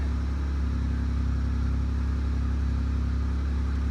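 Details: 2002 Pontiac Grand Prix started after ignition switch replacement: engine catches and settles into a smooth, even low rumble with no misses, knocks or ticks; healthy idle.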